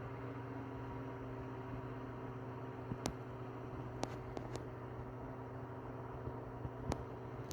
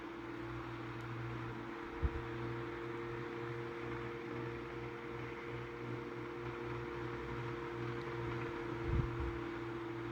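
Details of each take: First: Tatung LA-12 12-inch 3-speed oscillating desk fan from about 1980, repaired after being seized with a blown thermal fuse, running on low: a quiet, soft steady motor hum with gentle air hiss. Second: Tatung LA-12 12-inch oscillating desk fan from about 1980, once seized and since oiled, on medium speed: steady hum with a faint dry rumble, motor otherwise even. Worn motor bearings.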